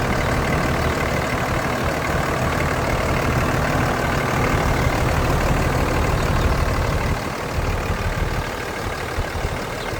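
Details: Steady, even diesel clatter at idle with no knocks or misfires from the 5.9L Cummins in a 2003 Dodge Ram 3500 Laramie crew cab dually 4x4, 154,489 original miles, ex-California/Colorado truck never driven in winter; healthy normal idle.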